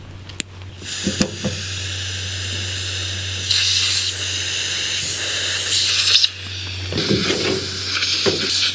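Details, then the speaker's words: Compressor-fed sandblasting cabinet being assembled and tested, teflon tape added to fittings; sharp steady high hiss cutting in and out; air leaking at the poorly glued connection to the blasting gun. "Bien. On entend un petit bruit d'air, mais c'est ici. Ah. C'est ici au niveau de la connexion au pistolet."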